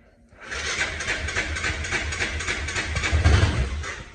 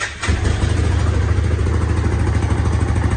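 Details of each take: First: Hisun 550 UTV, fuel-injected, before injector replacement, with a weak battery: hard starting with uneven, sputtering thumps, stumbles and a surge as it tries to catch; after 2.5 years it lost power and would barely idle, likely from a clogged fuel injector. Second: Hisun 550 UTV single-cylinder that lost power and would not idle, after replacing the clogged fuel injector and adding a 30-micron fuel filter: steady, even idle thump, stays running without stumbling.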